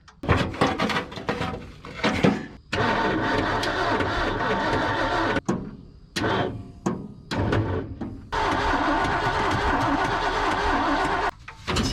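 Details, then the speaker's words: Roughly 1978 Ford F250 crew cab, rescued truck with cheap plug wires: repeated bursts of starter cranking with pauses, fuel now getting through but no catch. Crank with no start, traced to a plug wire found unplugged. "Make sure our cheap old plug plug wires are all on. I don't know why that was unplugged, but it had been working."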